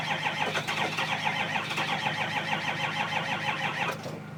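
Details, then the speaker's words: 2005 6.0L Power Stroke diesel, cold start after five hours plugged in (block heater breaker blew): starter cranks steadily about three turns per second with uneven chuffs that nearly catch but won't fire; hard starting, owner credits weak battery charge. "No go. So close. Let's try again. Started. Fucking rough."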